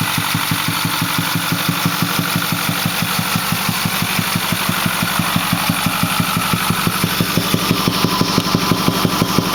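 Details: Ford 6.4L diesel at 208,000 km (129,000 mi) with a Banks Six-Gun and Ram Air air cleaner, idling: steady low thump from the intake, about 1.5 beats per second; it runs smooth with full boost and power, cause unknown.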